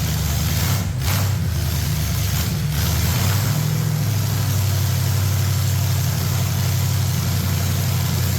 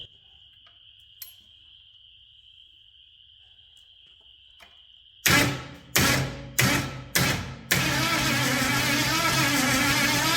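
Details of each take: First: Ford 460 big-block V8 pulled from an RV, formerly rust-seized and freed, now idling smoothly and evenly; normal idle. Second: Ford 460 big-block V8 pulled from an RV, formerly rust-seized, carburetors swapped, Excel super coil fitted: several short starter bursts then one long even crank, turning freely but never firing. Spark was present earlier, now none at all.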